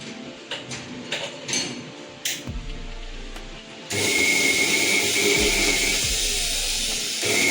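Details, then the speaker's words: Preethi mixer at first power-on before repair: a few clicks, then a loud, harsh high-pitched whir with a shrill steady tone; the old motor's field and armature windings are faulty, so the motor gets replaced with a new 750 W motor. "Mixie check ಮಾಡುವಾಗ ನಮಗೆ motor fault ಕಂಡಿತ್ತು."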